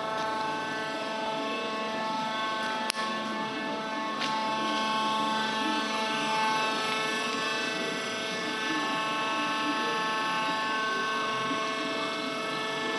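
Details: Worm screen centrifuge test run after repair of bad vibration: the worn main drive bearing diameter was machined and sleeved and the main drive and gearbox bearings were replaced. It gives a steady, even hum with stable high tones and no knocks, rumble or wobble; healthy.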